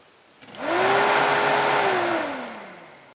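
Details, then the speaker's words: 2001 Honda 450 ES Foreman ATV after oven-reflowing the cracked fan control module, key on and sensor wire grounded: fan spins up quickly to an even steady hum, holds, then winds down smoothly with no rubbing; fan working normally again. "And if the fan kicks on, I guess that means it fixed it. Huh. I'll be damned."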